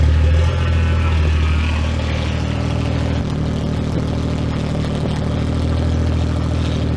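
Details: 2011 BMW E90 335xi N55, refreshed engine, upgraded turbo and 8HP45 swap, first start after the build: brief blip then smooth, steady idle with no tapping or knock. Temps climbing, fuel good; healthy.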